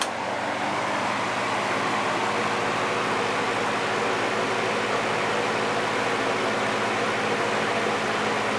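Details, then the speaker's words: Early-1950s Westinghouse box fan, heavy build, oblong case, blades previously weld-repaired: started on low then switched to high, giving an even, soft rush of air with a faint steady motor hum, no ticking or rubbing; normal quiet running. "You'll notice it doesn't produce much noise at"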